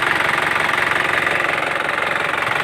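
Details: Isuzu Panther LS 2008 diesel; even clatter at about ten pulses a second, steady with no skips or stumbles; normal healthy idle.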